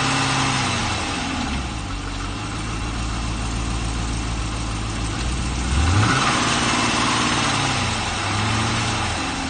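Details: Chevrolet LS3 V8 at 40,000, cold start: catches and settles into idle with a dull, fairly even tapping about four times a second plus one blip; piston slap suspected.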